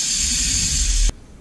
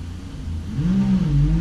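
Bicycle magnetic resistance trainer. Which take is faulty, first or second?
first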